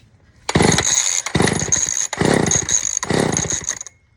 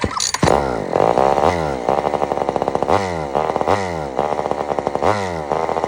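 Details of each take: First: Old Sears Explorer II chainsaw after carburetor cleaning, previously firing then dying: four crisp rev bursts, each picking up quickly and dropping back cleanly; saw runs smoothly and responds well to throttle, later cuts out only from running out of gas. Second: Old Sears Explorer II chainsaw after carburetor cleaning, being tuned with mixture screw: revs surge and sag in repeated swells instead of holding steady, muffler falling off; running out of tune with a loose muffler.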